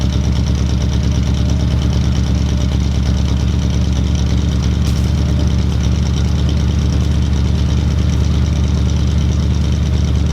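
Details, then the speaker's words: Ford Mustang V8 fitted with a 351 cam, firing order corrected to high-output order, started in one bump; smooth even deep burble at idle, no misfire, rockers still need adjustment; normal healthy idle. "Guys, it fired right up. Literally one bump. Perfect. Guys, the engine's running great."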